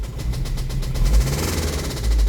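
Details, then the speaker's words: Toyota MR2 engine after highway drive, hot 100-degree day, oil level OK but dirty, oil-burning motor: low uneven idle with fast rough knocking about ten per second, serious internal damage suspected; engine to be replaced with 1ZZ-FE. Engine knock at idle. "I was driving home from work on the highway about halfway home started making this racket [Music] listen to that guys oh my gosh knock knock who's there my MR2 oh my gosh it sounds so bad"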